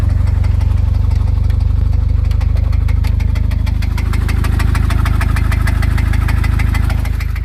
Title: Blew up my 99 Civic with rod knock